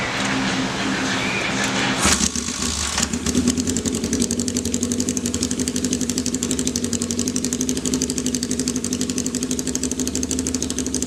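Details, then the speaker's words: 1979 Kawasaki KZ650 four-cylinder bobber, first start with a new tank: catches and settles into an uneven loping idle; a torn carb boot let the number four carb leak vacuum and upset carb sync. Boot replaced, then synced; vacuum leak. "ended up one of the carb boots had a rip in it so we changed that really quick we're having a problem sink in the carbs because that number four carb was was leaking vacuum"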